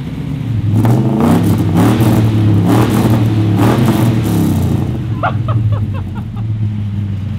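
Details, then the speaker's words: Ford XY GT Falcon with freshly built 351 V8, first start-up after timing adjustment: deep rumble with clean, crisp rev blips settling to a steady idle; normal running V8. "it runs we finally got there we finally got to hear this thing kicking to the life sounds good it sounds actually really good doesn't it does sound really good"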